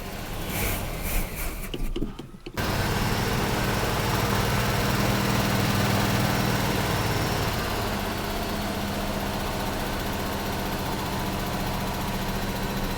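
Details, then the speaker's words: 1976 Chevrolet Nova V8, 35-year garage find, first start with starting fluid: after a short crank it fires into a thin, uneven patter around four beats a second and won't idle; owners suspect carburetor accelerator pump or choke issue. "It don't sound like no 350, does it? Yeah. Huh. Well, why it ain't. All right, go ahead. It just won't idle. It just won't idle."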